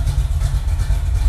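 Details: Freshly rebuilt carbureted V8, second run, breaking in with about 20 miles, carburetor still to be reset: deep, steady low rumble at idle with even pulses and no knocks or ticks; normal idle.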